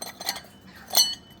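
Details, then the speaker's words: Toyota MZ21 Soarer: two light, bright metallic clinks as the loose front tailshaft dust shield jingles; intermittent, appearing after 20–30 minutes of driving once warm, firm again when cool. "That noise there. Jingle jingle. All right. You might think that's super obvious because it's flapping in the breeze right now, but the stitch up was that this is actually still in place and quite firm and not obvious at all."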